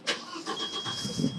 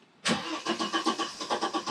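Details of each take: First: 1991 Audi 90 20v quattro, starting after a new fuel filter and fuel priming: a short crank catches with a sharp burst and settles into a quiet, even run. Normal start. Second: 1991 Audi 90 20v quattro, first start after fitting a new fuel filter and priming the pump a few times: starter spins the engine at an even, quick rhythm for several seconds without catching, fuel not yet through. Long crank, no start.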